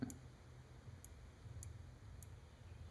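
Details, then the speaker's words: Computer mouse left-click micro-switch before repair, which the owner says releases while held: probed with a continuity meter, four crisp clicks about every 0.6 seconds with no beep behind them; the switch must be pressed further to beep, so the contacts are tarnished and not closing. "I have to press it down more to get it to also beep. And it should be pretty continuous, the beep there."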